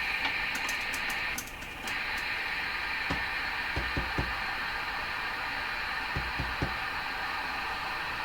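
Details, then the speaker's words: Hammarlund SP-600 receiver, fault localized to tubes 6, 7 and 8, tuned in the dual-conversion range near 15 where strong stations should be: only steady hiss, a few clicks and repeated birdies, no signal passing through, cause not yet found. "I'm picking up a number of birdies here. It's just nothing making it through this radio."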